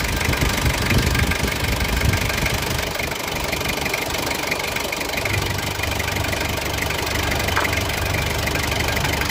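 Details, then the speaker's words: 2005 Ford Everest 2.5 TDi 4x2 manual, turbo and intercooler, mechanical injection pump and conventional injectors, no OBD: loud, even diesel clatter at steady idle with fast regular tick, no misses or knocks, said to sound like an L300. Normal diesel idle. "Ya pemirsa ini suara mesinnya begini ya mirip-mirip L300"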